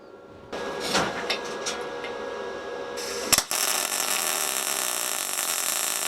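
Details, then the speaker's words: SIP Autoplus Mini 130 synergic inverter welder, gas MIG with solid wire on 3 mm plate, pushing: after the strike a steady, even bacon-frying crackle without pops or stutters, a singing noise; well-set MIG arc, normal. "it's making like a singing children noise that's it the noise you want to hear"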